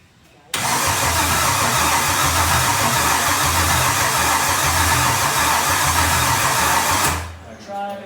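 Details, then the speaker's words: Solstice with swapped Gen V L83 5.3L V8, E92 PCM, PSI harness: strong cranking about four turns a second, no firing; fuel rail pressure present, PCM codes for low-pressure pump and ignition, pedal not working; no ignition, later fixed by deleting codes in HP Tuners. "So you can see, you can hear it. It's turning over good, but it just doesn't sound like it's really getting any ignition."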